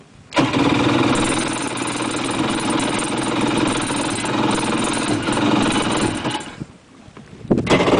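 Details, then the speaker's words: Two-stroke jet ski, cold start in the lift: ragged, uneven pops while cranking that fire occasionally but never settle into a steady run, then die away. Firing is not yet enough to keep it running. "See, that was a fire. But if you let go, it's not going to run. That's not enough to do it."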